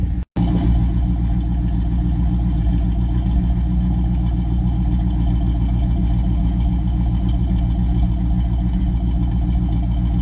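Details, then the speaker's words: Chevrolet Camaro after about two weeks sitting, just started: smooth, even idle with steady low rumble and no knocks or misses; engine settles cleanly and runs healthy. "ya está ya arrancado y suena muy bonito verdad"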